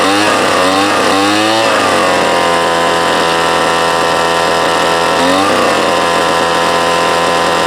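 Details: Craftsman leaf blower first start after replacing the broken starter rope, which had tangled in the flywheel, with heavier-gauge cord: a couple of rising revs, then a steady, even high buzz with no sputter or misfire. Normal running.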